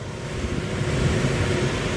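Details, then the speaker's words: Trane Voyager rooftop unit on a no-heat call: the supply blower runs very quietly with a soft, even rush of air and no squeal or slap. Airflow is present, so the tech's suspected no-airflow high-limit trip is ruled out. "yeah we have air flow there is airflow which means something else is going on we're getting excited so first punch this fan is really quiet though really quiet while it's running"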